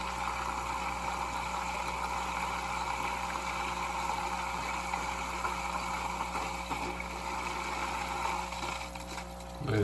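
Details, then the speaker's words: Hang-on-back aquarium filter just refilled with water and plugged in on max after cleaning; watery rush with soft bubbling gurgle as it primes, then flows normally. "You hear it gurgling and splackling, and you're like, hey, what's going on? Don't worry about it. As long as you filled up this water."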